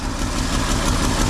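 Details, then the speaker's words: 1968 GMC C1500 pickup six-cylinder, first start after 27 years sitting (last licensed 1997), not yet warmed: uneven lumpy idle with irregular low thump, like an old tractor; owner suspects sticky valves, unconfirmed. "yeah you might have little sticky valves or something there the way she's kind of sounds like an old L shammer tractor"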